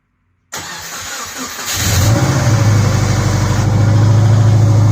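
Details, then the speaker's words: 2004 Subaru Impreza RS engine first start in several months after reassembly with JB Weld repair, in neutral: brief crank, catches and settles into an even, steady idle with no misses or knocks; starts and runs fine. "It's the first time it ran in several months."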